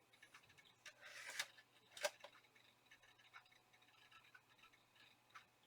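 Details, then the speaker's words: Compaq Presario 1060 retro laptop at boot: faint, irregular sharp clicks a second or so apart from the hard drive, later followed by a warning that the hard drive has a problem; failing drive. "but I can hear the hard drive clicking away"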